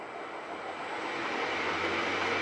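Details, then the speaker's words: Bridgeport mill's replacement 1HP three-phase motor after clean-up and bearing replacement, run from VFD panel: smooth even hum with faint low tone rising as it spins up, no knocks or grinding; motor quiet, running normally. "Yeah, the motor's quiet."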